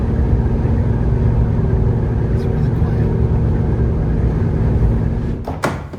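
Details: Jeep Gladiator 3.6L V6 after a MagnaFlow 12256 muffler was installed, climbing a long highway grade in 5th gear at 65 mph. Even, deep tone with no rattle or raspy buzz, fading at the end: normal exhaust note.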